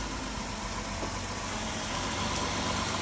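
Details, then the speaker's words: 2003 Dodge Caravan, just started on its own: low steady idle hum under heavy background hiss, no knocks or misses; normal idle. "Started up on its own. Move it backward and forward. Actually sounds pretty good."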